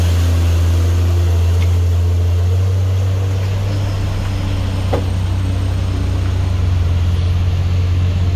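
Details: Truck on the Sitinjau Lauik road: deep engine drone with a steady low throb at about three pulses a second, giving a helicopter-like chop; cause unclear.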